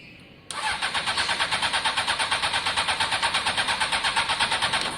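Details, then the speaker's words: Honda CBR600 F4i, long-standing non-runner, fuel-injected: with spray it catches and runs with a pulsing beat, about six a second, then fades out; engine fine but fuel lines need clearing, no fuel delivery. "you heard it start there on the spray alone uh we just need to make sure there's fuel going in"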